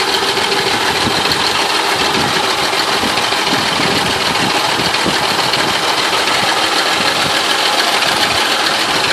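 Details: 2000 Ford Crown Victoria Police Interceptor 4.6L 2V V8 idling: busy metallic rattle and grinding chatter from the timing chain area, consistent with worn nylon-faced timing chain tensioner arms described in Ford TSB 03-15-7.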